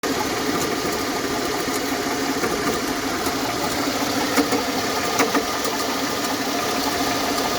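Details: Mercedes W220, M112 E32 engine, 372,900 km: engine running with dull uneven knock from front belt area under hood; water pump had play and slight leaks, fixed by replacing alternator bearings and water pump, knock gone.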